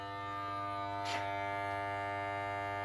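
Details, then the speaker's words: FXTUL F703 smoke leak detector, bought to find a vacuum leak behind code P0171, powered from the car's 12 V with ground on the engine mount: steady, even electric pump hum, no surging or rattling; normal pump running. "So on this car, it's this one right back here on the engine mount, and then the positive, since the battery's in the trunk, it goes right here, and it should turn on automatically as soon as it gets 12 volts, and this time it does."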